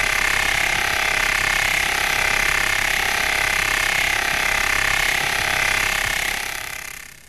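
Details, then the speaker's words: Deep groove ball bearing 60309 at 2,000 rpm under 20,000 N load, via electronic stethoscope: steady high rushing noise with fast regular rough ticking; inner ring damage. "here comes a bearing with a damaged inner ring"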